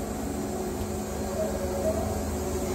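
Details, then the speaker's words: Wood-Mizer Super 70 sawmill after drive pulley change, cutting a 13-inch-wide dry pallet log: engine bogs down steadily under load with even drone, belt not slipping, then revs back up to rpm; healthy. "can you hear the motor bogging see how it's not slipping the belt at all"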